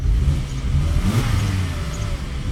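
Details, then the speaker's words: 2001 Volvo C70 2.4 turbo, warm engine revved in place toward 3,000 rpm: uneven, fluffing climb that holds back; only when warmed up, no codes, ETS light intermittent, despite new MAF, plugs, coil packs, air filter. "basically what happened is when you're revving it's called like a fluffing like a like a really BSE noise I'll see if I can do it"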